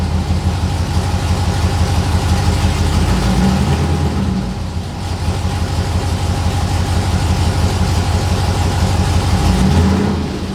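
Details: 6.0L LS-swapped S10 with fuel system clogged by rust from the gas tank: lumpy V8 idle with uneven, loping beat and a stumble every few turns; one cylinder not firing, reading about 281 versus roughly 390-490 on the others.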